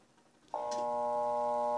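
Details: Electrolux washing machine that makes noise but won't spin: steady electrical hum at switch-on with the motor trying but not turning; failed motor start capacitor.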